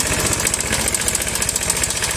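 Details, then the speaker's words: Honda Vario 110, carburettor model, idling. Fast, even metallic clatter of roughly a dozen ticks a second. Worn cam chain tensioner letting the chain slap. "Masalahnya adalah sepeda ini mengeluarkan suara berisik. Mari kita coba memulainya. Jadi, bunyinya seperti ini. Bunyinya seperti logam yang berbenturan seperti ini."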